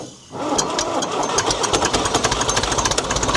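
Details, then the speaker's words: Abandoned SAME tractor air-cooled V4 diesel, first run after sitting for years: rough running with metallic knocks over the firing, not knocking hard; engine knock. "Well, that would did do a full revolution. Not knocking hard, but it is."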